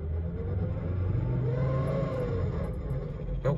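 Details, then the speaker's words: 2004 Volvo XC70 with automatic transmission in drive, on the gas: the engine swells and drops with no load as the car just coasts; transmission not engaging, clutch packs seem to have exploded. "you guys can hear that this thing basically is not engaging. The clutch packs seem to have exploded in this transmission"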